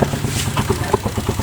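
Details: Zara 110cc motorcycle just after full engine fitting: quick, even putter at idle with no knocking, ticking or misses; runs smooth and healthy.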